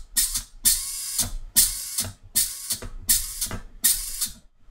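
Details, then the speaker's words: Small DC motor driven by a Cytron MD13S 13 A single-channel motor driver from Arduino, powered from a battery instead of 9 V: shrill high-pitched whirring bursts spinning up and stopping; motor possibly overspeeding from excessive supply voltage. "and then over here oh that's just too much so what I'll do is let me disconnect this but at the battery I'm using here the amp pitch might be too much for these little motor"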